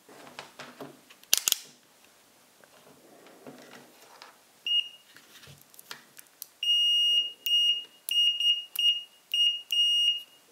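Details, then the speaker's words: Chinese-version Fluke 101 multimeter after reassembly with test leads re-centered: short, clean, high-pitched continuity beeps with no rasp; the buzzer now sounds normal, scratchiness inadvertently fixed. "okay weirdly the buzzer now sounds a lot better I don't know what I did to it but"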